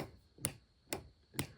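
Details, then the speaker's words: Motorhome battery disconnect solenoid fed by a remote switch: sharp single clicks about twice a second that never make the connection; no 12 V coach power, steps or lights; faulty solenoid. "So mine died. So if I turn this on, I can hear a click."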